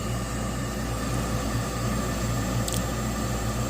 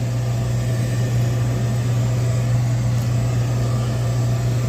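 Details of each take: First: York/Diamond single-stage 80% gas furnace, no-heat call with three-blink pressure switch stuck open code; inducer motor tested, steady even hum, no grinding or rattle, draws −2.3 inches water column, runs normally. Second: York horizontal 90% gas furnace, no-heat call: thermostat calling, temperature dropped from 72 to 60. Steady low inducer motor hum with no burner ignition; the furnace is locked out by a pressure switch stuck open.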